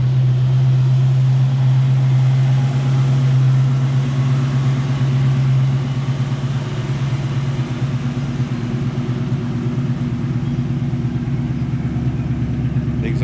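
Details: 1968 Mustang with 93,365 believed-correct miles and a new exhaust with Flowmaster-style mufflers and GT tips: a deep, even V8 burble with steady pulses and no miss or ticking, a healthy idle.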